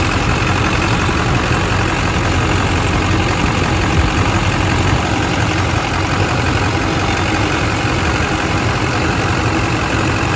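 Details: California four-wheel-drive diesel truck at 241,000 miles, engine bay: steady deep rumble at idle, no knocks or misses, no blow-by and no exhaust smoke; normal diesel idle.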